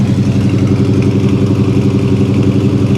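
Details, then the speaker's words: Classic car idling after sitting a while: smooth, regular low burble about three pulses per second with no misses or ticking; healthy clean idle. "You never cease to amaze me, old girl. Listen to this thing purr."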